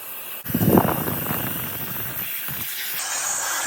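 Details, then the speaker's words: Engine stopped, crankcase pressurised with about 10 psi of compressed air to find an oil leak: steady airy hiss of air escaping from an open screw hole in the crankcase; crankcase air leak. "and there's our leak well I don't even know if I can see that stinking thing that's pretty big whatever that is oh it's a screw hole"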